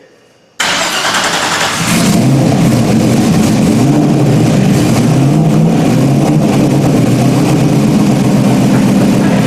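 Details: Stock-block 5.3 V8 race car, first start after almost a year of rebuilding: catches after a brief crank and settles into a strong, steady idle with an even beat and a nice tone; a little spray and a drip were noticed. Clean first start.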